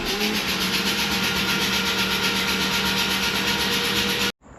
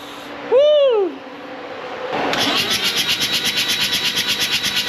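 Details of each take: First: Freshly rebuilt Mazda RX7 FC 13B NA rotary, first 5-10 seconds of cranking with spark plugs out: even whooshing pulses about four per second, all equal strength; compression through the plug holes sounds healthy. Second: Freshly rebuilt Mazda RX-7 FC 13B non-turbo rotary, first start attempt: several seconds of steady rhythmic starter churning that never fires, then fades as the battery dies; oil pressure reached 60 psi while cranking.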